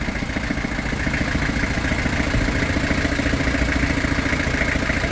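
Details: Very old truck, sitting for a long time, started by spraying WD40 and lighter fluid into it: a fast, uneven clatter of three to four beats a second over a ragged note, barely running and stumbling; rough running, knocking less with more spray.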